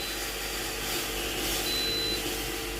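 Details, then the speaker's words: Philips GC6720 (GC67XX) steam generator iron during descale cycle after holding orange button 2 seconds at max heat; light, steady hissing hum with faint high whine, no rattle; small water pump running evenly for 2–3 minutes, normal descaling operation. "จะได้ยินเสียงปั๊มน้ำนะครับผมน้าประมาณ2-3นาทีนะครับ"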